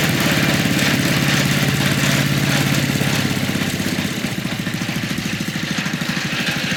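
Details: MTD walk-behind leaf blower, small single-cylinder engine, run after sitting about three years: chugs at a fast beat with a coarse shaking rattle, running rough as if about to blow; cause unknown.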